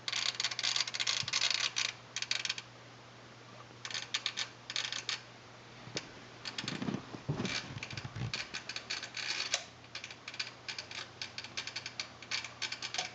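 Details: Sony STR-DA555es receiver, an old unit, suddenly started while watching TV: bursts of fast, dry clicking chatter starting and stopping irregularly over a faint hum; clicking/chattering noise, cause not identified.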